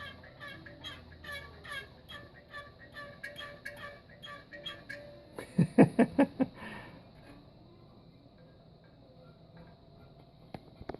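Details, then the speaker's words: 1966 Chevelle SS396 bucket seat (1967 seats) during restoration: rhythmic creaks about twice a second as the seat is pressed, then sharp squeaks; worn felt anti-squeak pad letting the springs rub. "So they keep these springs from touching. Really big people get in these cars and flatten these seats out, and as you can hear,"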